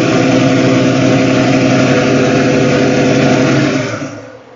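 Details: 1970 Ford Mustang Mach 1, 351 Cleveland with four-barrel carb and FMX automatic, after 3G alternator and electric fan install: steady smooth roar at high revs, then winding down; no belt squeal, belt drive healthy.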